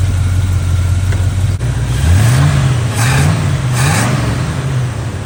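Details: Chevy square-body barn-find truck, automatic V8 (called a 350), after timing set by ear and a distributor, carburetor and ignition tune-up: steady idle, then two clean throttle blips rise and fall with no misses or knocks; motor running decent.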